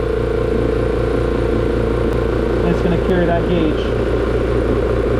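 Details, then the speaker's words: Oil-lubricated compressor after repair, customer's unit that had tripped its breaker: cuts in as the gauge bleeds down to about 80 psi, then a steady deep motor hum with even pumping pulses and no knocking or squealing. Normal cut-in and running. "this is the way a compressor should normally operate so as soon as it hits 80 or 85 to 80 it should turn on boom okay all right it's gonna run"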